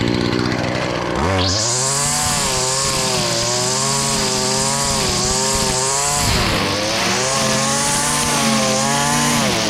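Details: Stihl FS70R two-stroke string trimmer after repair (bogging and no power traced to a fuel mix with far too much oil, clogged spark arrestor and gummed carburetor, carburetor cleaned): revs up cleanly, pitch dips slightly biting growth, no bogging; normal running under load.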